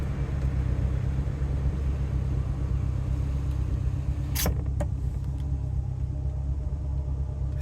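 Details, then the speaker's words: Rolls-Royce Silver Shadow V8 with SU carburettors, after carb tuning: quiet, smooth, even idle rumble with no misses or knocks despite an exhaust leak; normal smooth idle. "can you hear the idle it's so quiet and so smooth even with the exhaust leak you probably can't hear it actually because there's too much noise from the outside"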